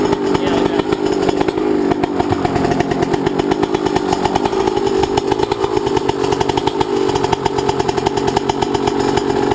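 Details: YZ125 two-stroke, either the 2001 at its first start after a rebuild with a new Wiseco piston or the freshly rebuilt 1999: sharp, rapid crackle revving cleanly up and down, even firing, no misses; healthy fresh rebuild.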